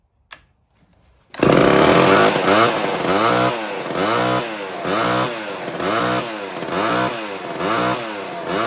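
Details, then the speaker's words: 1970s Homelite XL12 chainsaw, first start after years of sitting, with fresh mix and the choke and throttle lock on; surges and sags about every half second, bogging. Running a little lean, with the carb diaphragm likely stiff, and it richened up later. "It was leaning a little bit at first. You can hear it kind of bog. It wasn't bad, but you can hear it a little bit."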